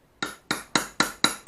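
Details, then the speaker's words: Ura-dashi on a Japanese plane blade: six sharp metallic hammer taps, about four a second, each ringing with a bright tang. Wrong: the hollowed blade back floats unsupported and can crack; a support contacting the hollow is needed. "소리를 들어보세요 이 소리가 살 치는 건데 소리가 나와 안됩니다 탕탕 표현 소리죠 탕탕 표현 소립니다"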